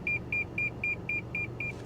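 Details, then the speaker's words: Nissan 350Z with 48,111 miles: steady high-pitched beeps about four a second over a quiet cabin as the backup parking sensors warn continuously. "okay backup sensors are going crazy"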